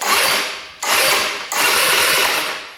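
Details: 2017 Tao Tao scooter electric starter spins in three bursts with a fast, even whir but never catches; fuse holds; no-start traced to a tight exhaust valve with no clearance.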